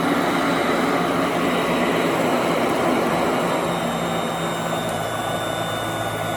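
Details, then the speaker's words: 1991 Royal Model 882T upright vacuum, just reassembled with motor brushes reinstalled after loose brush screws, probably long unserviced; switched on: steady, even motor roar and airy rush, lots of suction, no rattles or surging, running normally. "Now it's on the floor. Probably one more click. There we go. Quite a bit of suction. It sounds completely different."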